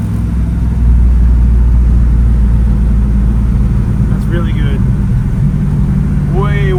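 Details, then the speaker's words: 1965 Chevy Nova wagon on a test drive after fitting a new Holley 450 carburetor (SL-450-VSTRR): a steady, even drone pulling from idle with no hesitation or stumble, smoother than the old carburetor. "It is just so smooth. No hesitation. I can accelerate from idle. I don't have to 2-foot it."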